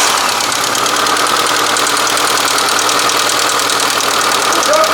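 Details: Engine with solid lifters, no hydraulic lash adjusters: quick, even light ticking over a steady idle; valve tapping from loose clearances that need adjusting.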